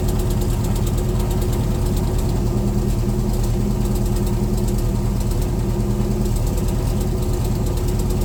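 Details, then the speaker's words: C3 Corvette V8 with Holley four-barrel carburetor idling, smelling of gas; mechanic says high float level is part of the rich running and adjusts all four barrels: steady, slightly lumpy idle, dull low rumble, no misses; rich idle. "so that's what's making it just too rich or what that's definitely part of it I'm going to adjust uh all four barrels too"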